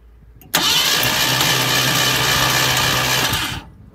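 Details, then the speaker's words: 1972 Ford Maverick Grabber, factory V8, parked about a decade: starter cranks the engine evenly for about three seconds but it never fires; has spark, plugs to be cleaned and carburettor still to be sorted; cranks, no start. "spark it turns over I'm gonna clean the plugs up and put them back in we got nothing"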